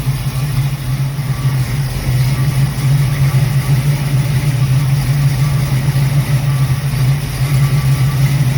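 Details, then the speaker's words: Carbureted Ford Mustang ("6ix 7even") running for the first time in 2 years after chasing a vacuum leak and swapping out a 1-inch carburetor spacer: deep, even V8 burble with a steady hum, no hunting or surging; extremely smooth, consistent normal cold idle. "It's running for the first time in 2 years. Extremely smooth and consistent on cold idle."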